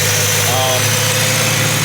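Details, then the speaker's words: BMW E90 M3 S65 V8 after new engine mounts replacing collapsed hydraulic mounts that caused bad idle vibration, running open intake trumpets without filters: even steady idle, smooth low hum, loud intake hiss, no shaking; normal idle. "I'm gonna start it up and we're gonna see how much smoother it is"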